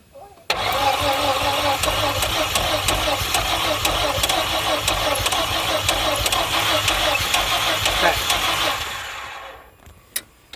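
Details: 1988 4.3 engine: even starter cranking about three beats per second for nearly nine seconds, never catching; cranks but won't start.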